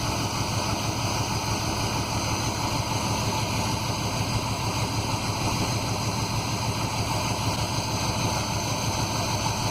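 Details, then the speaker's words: 1991 Chevy 1500 5.7 V8 with no muffler and air cleaner off, idling with timing connector unplugged, timing found at 0°: even, steady idle with smooth rumble, no misses or knocks; normal idle. "I'm going to start it up I'm going to let it idle for a while I'm just a little curious where it's at"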